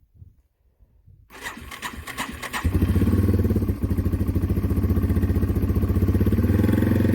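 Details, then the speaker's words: Yamaha TW200 single-cylinder, hard-starting, after tilting the bike left to prime the carb with fuel: a few quiet cranks, then it catches within about a second and settles into a steady even thumping idle; it starts cleanly. "so anyways let's see if she fires up any better any quicker"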